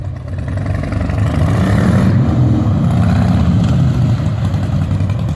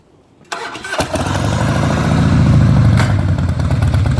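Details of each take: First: 2003 Harley-Davidson Softail Standard after changing oil, transmission gear lube (Amsoil 75W-90) and primary fluid (Amsoil 20W-50), riding: even V-twin rumble through shifts, no hard clunk, quieter than before; shifts smoothly like butter. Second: 2003 Harley-Davidson Softail Standard, before its motor oil, transmission and primary fluid changes. Starts into a lumpy V-twin idle, then gives one loud, harsh metallic clunk when first gear is engaged from a standstill.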